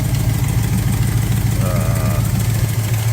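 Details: V8 idling after the distributor was advanced and initial timing set to about 10 degrees (timing had been far off and exhaust glowing red): steady, even idle pulse about two beats a second, no stumble or popping; normal idle.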